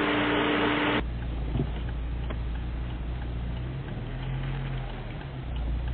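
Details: Chevrolet Niva 1.7i after engine overhaul (42x34 valves, cam 14), first kilometres of break-in, before chip tuning, idling after start; after a brief tone a low, even idle hum with no misses, knocks or ticking: normal idle.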